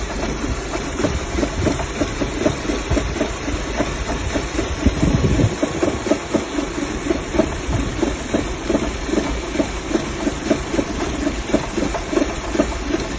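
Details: Audi engine at idle, lumpy with uneven thumps and dropouts instead of a smooth hum; misfire, cause unclear.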